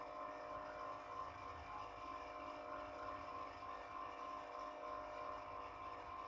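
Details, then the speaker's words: Old National 125 water pump motor, about 27 years old, after rewinding its burnt coil: steady even hum with clean whine around 1 kHz, no rattles or rubbing; rotation now strong; normal motor run after rewind. "Nah, coba sekarang kita tes. Sudah kedengar ya suaranya putarannya."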